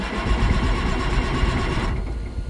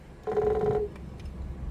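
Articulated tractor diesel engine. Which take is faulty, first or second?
first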